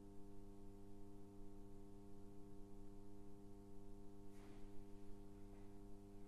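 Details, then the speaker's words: NAD 7020 receiver (same amp as NAD 3020) switched on after power-supply capacitor replacement, recorded via headphone output: a steady, loud mains buzz from a faulty power switch, with a brief crackle. "don't forget the switch is still not working properly still gonna hear that buzzing noise first of all so let's just have a little look at that video"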